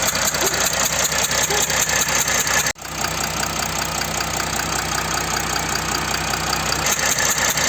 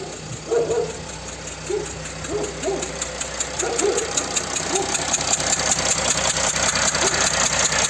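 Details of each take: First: Mercedes OM642 V6 diesel in a Jeep Grand Cherokee CRD idling normally with an even clatter and no ticking or hissing, after the leaking injector gasket that caused the ticking noise was replaced. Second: Mercedes OM642 diesel in a Jeep Grand Cherokee CRD at idle: a sharp, regular ticking of two to three per second, a combustion leak past a worn injector gasket that no longer holds pressure, with diesel smell in the cabin.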